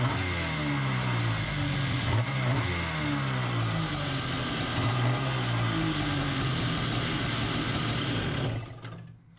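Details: Kawasaki 1100 carburetor swapped onto an X2 two-stroke with a temporary throttle bracket: picks up cleanly on each throttle blip and drops back smoothly, repeated several times, then shuts off; running healthy after the swap.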